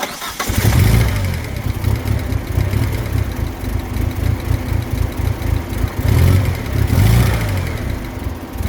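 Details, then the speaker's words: DSM engine first start after timing belt job, possibly two teeth out of time: stumbles and surges, chopping in and out as if hitting fuel cut; owner suspects ECU rejecting a sensor reading, unconfirmed. "To me, it still sounds like it's hitting a uh fuel cut. Like the ECU is not happy with some sort of sensor reading."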